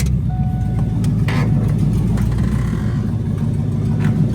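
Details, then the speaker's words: Fox body Mustang V8, warm, after two days of work: deep steady idle rumble, even with no stumble or tapping; normal idle. "Listen to it idling like it ain't shit. Got all the bulbs in it. Everything working good. Finally."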